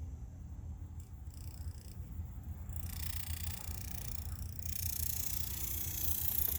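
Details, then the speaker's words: Leslie speaker motor stack on its slow motor, giving a low, rough, purring rumble. It is noisy, and the fast motor also jumps and sloshes at times, so the stack needs a rebuild. "dr kemp here the hammer doc working on this motor today making noises so i got to work on this listen to it this is the slow motor right now"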